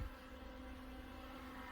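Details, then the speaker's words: LitezAll rechargeable mini fan on speed 2, lifted off the table: steady, even whir with a low hum and constant tone, no rattles or wobble; pushes a lot of air and runs normally. It vibrated and made a weird noise on speed 1. "Okay, I guess if it's not on the table, it's not that loud. It sounds normal and it pushes a lot of air."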